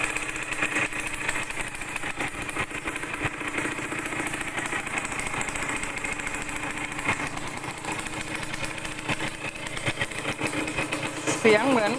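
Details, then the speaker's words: Yamaha DT100 two-stroke at idle with a sharp, rapid puffing tick at each firing pulse: exhaust leaking at the header joint from a loosened nut. After the nut was tightened, the leak was gone. "ท่อตรงเนี้ยรั่วเลยนะครับเสียงเนี่ยคอท่อรั่วนะครับเดี๋ยวผมแก้ไขก่อนนะครับคอท่อไอเสียนะครับที่เมื่อกี้เนี่ยตอนผมติดเครื่องฟังเสียงเหมือนคอมันรั่วนะครับ"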